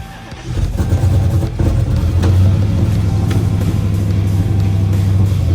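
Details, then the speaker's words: Dodge Hellcat V8 cold start on a jump starter after sitting dead: loud, uneven, lumpy idle with irregular pops from a misfire; rough idle with no codes stored. "give it a start about to wake up the neighborhood cuz this thing uh pops now that it's misfiring"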